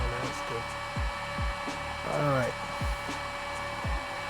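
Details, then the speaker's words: Hollyburn GS electric scooter on a jack stand, powered on with the old sprocket before a sprocket swap: steady airy whir with a few short swooping sounds; cooling fan running normally. "all right you guys can hear that fan kicking around"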